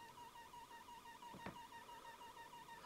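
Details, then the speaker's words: Corsair Graphite 760T case fan run from a USB adapter through a voltage reduction cable at roughly 3 V: steady high whine near 1 kHz with slight warble, coil whine from underpowered fan. "So yeah, got quite a bit of whine. To me that sounds pretty damn funny."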